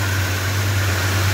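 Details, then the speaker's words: Freshly rebuilt, hot 440 big-block Mopar at first start-up after a radiator leak: steady idle hum with a thin, constant high squeal; belt slipping, likely from water, dry bearing also suspected. "yeah it sounds like so a belt was really slipping down there probably because of all the water"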